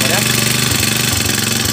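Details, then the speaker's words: Honda Mega Pro motorcycle that had lost ignition entirely (faulty regulator/rectifier found): short burst of the single idling unevenly, with a ragged beat under a hissy top end; the engine runs very rough, cause not yet found. "Ini motor memang sudah kasar sekali bunyinya"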